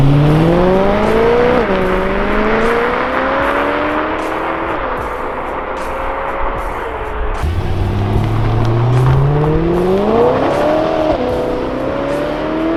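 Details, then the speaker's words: Rebuilt BMW E92 M3 with DCT dual-clutch gearbox on post-rebuild test drive: engine pitch climbs cleanly through the revs with quick tidy drops at each upshift, no knocks or rattles; healthy engine and dual-clutch gearbox under acceleration. "But this DCT double clutch transmission in the BMWs, it is so much smoother, so much more refined, and it is so quick."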